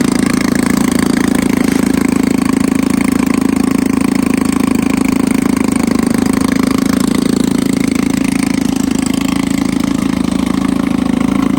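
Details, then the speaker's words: 1954 Evinrude 7.5 HP Fleet Twin outboard after replacing ignition coils, cleaning points and rebuilding the carburetor (new gaskets, float, needle): steady, even two-stroke putter about four beats a second, no misses or surging; normal idle. "Let's see if it runs. Sounds good. Not making any gas. Actually, idle good here."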